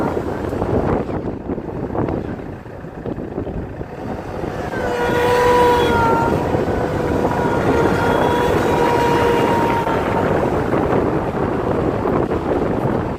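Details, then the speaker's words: Land Rover Freelander 2 SD4 2.2 diesel on road under hard load: clear whistle rises near 2000 rpm, holds as the engine pulls, then fades; suspected boost-related, possibly a boost leak. "it starts to come through when we reach close to 2000 RPMs so at this moment I think and I might be wrong to me looks like boost related"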